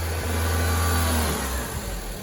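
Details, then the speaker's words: 2005 Honda Civic DX after right front wheel bearing replacement, driven on lift around 20 mph: steady engine pull in gear, smooth even tone, no growl or rumble from front wheel; bearing noise gone, normal. "that was at 20. oh that was that 20 well that's how bad that wheel bearing was all right the noise is gone"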